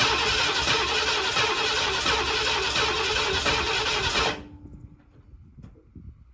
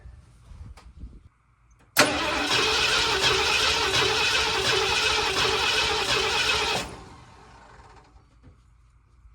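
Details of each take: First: 1979 Ford F250 project truck, sat possibly 6 to 23 years, first start attempt on stale gas: steady starter cranking at about four turns a second, no firing or catching, then it stops; cranks but won't start, cause not confirmed. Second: 1979 Ford F250 sat possibly 6 to 23 years, just fitted with a new replacement starter: starter spins the V8 over briskly and evenly for about five seconds at steady cranking pace; normal cranking, starter working.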